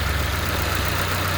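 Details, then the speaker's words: Chevrolet Corsa Classic at steady idle with a coarse frog-like croaking pulsation from a torn hose at the EVAP canister purge valve; fixed by cutting the hose and refitting it. "Olha onde é o defeito pessoal no filtro aqui do canister a mangueira que é rasgada e aí ó muita gente até já pensando em trocar a válvula de plug aqui ó o barulho saindo nela também"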